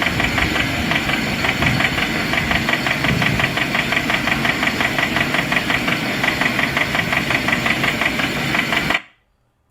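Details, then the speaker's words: Salvage-auction car engine with 247,000 miles, idling: a steady, sharp knock repeating just under three times a second; engine knocking. "I didn't even mean for that to happen but do y'all hear that the motor is knocking well the motor do got let me see 247,000 miles on it"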